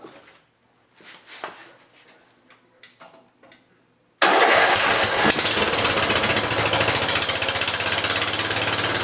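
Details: Riding lawn mower after rewiring key ignition switch and refitting gas tank: quiet clicks, then engine catches instantly and settles into a steady, even run. Normal starting and running.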